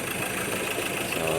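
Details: Ford Ranger 2.2 diesel, final check after test drive following a hard-starting repair, with hard starting gone after scanner work; short stretch of steady, even diesel clatter at idle with no stumbling; normal idle.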